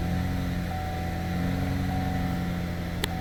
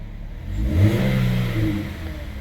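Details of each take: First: 2009 Chevy HHR 2.4L, found nearly out of oil from a failed PCV system, started after refilling oil: it catches with an uneven low thrum, backfires, stalls, then stumbles back; runs fine at higher rpm, stuck cam actuator suspected. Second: 2009 Chevy HHR 2.4L, found out of oil from a failed PCV system, with stuck cam actuators, after refilling oil: engine blips up smoothly and settles, clean even pull with no tapping once oil reached the cam actuators and air was purged.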